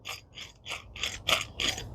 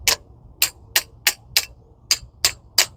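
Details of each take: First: 2011 Ford Focus rear hub turned by hand; about six gritty rasping bursts in two seconds from grainy needle bearings on the inner bearing, with lots of axial play; worn wheel bearing, not completely gone, hub being replaced. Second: 2011 Ford Focus rear drum brake during the brake job: eleven crisp, evenly spaced ratchet clicks, about three a second, as the spring-loaded toothed adjuster wheel turns, normal self-adjuster action.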